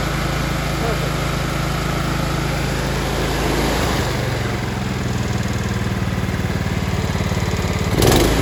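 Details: Kohler Command engine on a Troy-Bilt Bronco, after the wrong muffler pipe that caused a boom-boom stumble and blow-by was corrected: a steady, even single-cylinder beat with no surging or puffing leak; normal running.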